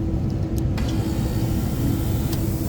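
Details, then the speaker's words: Rooftop bar AC unit after a reported puff of smoke and loud noise, indoor blower motor wiring pulled: compressor starts and keeps running with a steady low hum, pumping and not locked up. "cool I wanted to make sure that the compressor actually pumped and it does so the compressor actually pumps um whether or not it's good I don't know but I just wanted to make sure it wasn't locked up or something"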